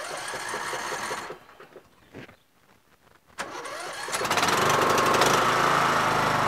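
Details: Yard Machines MTD lawn tractor, 20HP Briggs single-cylinder OHV, CVT, after magneto kill-wire bypass for no-spark and oil/filter change: after a pause the engine fires and keeps a steady, even beat with no knocking; runs normally.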